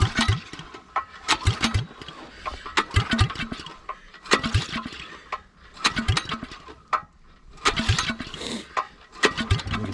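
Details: Honda GX270 9HP engine swapped into an old Suzuki LT185 frame, switch and choke on: repeated pull-cord bursts with sharp chuffs from the open pipe, never catches; cranks but no start, cause unconfirmed.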